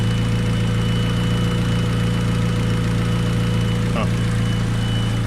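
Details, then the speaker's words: 1995 Honda Del Sol with cold air intake at idle: light, fairly even tapping over a low engine hum, an unidentified "piston noise"; separate clunk at left front noted; source not pinned down. "So definitely got an issue left front for sure. I'm not sure what that piston noise is."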